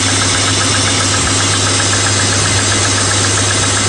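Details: BMW E34 M50 cold morning start: light, rapid top-end tapping at idle from hydraulic lifters, fading as the engine warms; still slightly present at about +2 °C.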